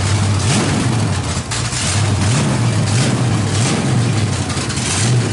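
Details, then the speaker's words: 350 V8 with a big cam and no exhaust fitted, just fired, timing likely needs setting: loud choppy lopey idle crackling through open headers, steady and strong, healthy engine. "that motor sounds great"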